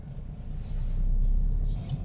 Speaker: Okay, and the car wants third gear. We can hear it slightly louder. The rev counter's up near the 2000 rev mark, so we're off the gas, clutch down into third gear.